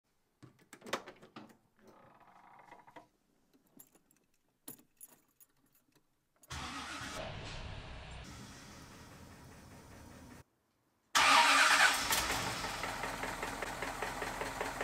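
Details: 1950 Cadillac V8 after rod bearing, valve train and oil pump checks, an oil pan dent repair and new oil and filter: it fires and idles with a steady, repeating knock. Cause unknown; the owner plans to check for a loose or broken flexplate or flywheel.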